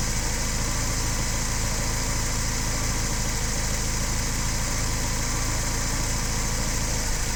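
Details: Engine with DTA S80 at idle: loud, rough idle whose firing beat keeps stumbling and losing rhythm instead of running even; engine misfire at idle.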